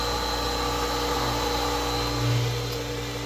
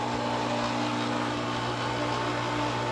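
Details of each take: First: New 1.5 hp Chinese replacement motor on a Hayward pool pump, primed and running after swapping out the noisy Century/Pentair motor; steady, fairly quiet hum with constant pitch and no grinding or bearing noise; motor healthy, plenty of power. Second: Seven-year-old Century/Pentair 1.5 hp pool pump motor on a Hayward pump, once rebuilt with new bearings and going through capacitors: loud constant drone with low hum and thin whine, not smooth or quiet; due for replacement.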